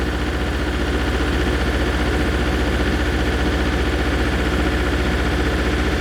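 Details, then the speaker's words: MEP 803A diesel generator after pump work and air purge, cold, compression about 106–124: loud lumpy uneven beat, one cylinder not firing correctly then catching up; cause not confirmed. "That's definitely a cylinder not firing correctly and then catching up. Yep. That's definitely a cylinder not firing right."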